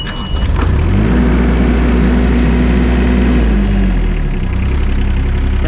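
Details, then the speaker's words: IHI machine with 926 hours at auction yard, diesel: cranks briefly, fires right up and holds a steady, even idle with no knocks; a healthy start. "right up though one's good it's not bad"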